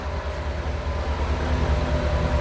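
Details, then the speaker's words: 1985 C4 Corvette running again after a no-start fix (no power to the fuel pump); idling with the radiator fan pushing air in front of the radiator. Steady low rumble and even air rush; normal radiator fan operation. "What you're probably hearing on the microphone is that the fan pushing in front of the radiator."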